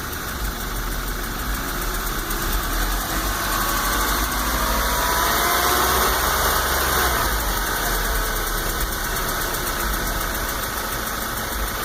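A light rapid tick sits over a smooth idle and quickens as revs rise and fall; ticking from the lower engine, cause unknown.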